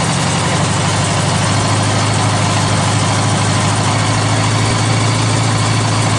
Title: GL1100- Noisy cold start, no choke